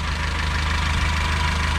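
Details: 2007 Honda Civic, previously shaking with a cylinder misfire code, after replacing that cylinder's ignition coil: a steady, even idle with a smooth regular beat and no stumble or shake. Normal idle; the misfire is fixed.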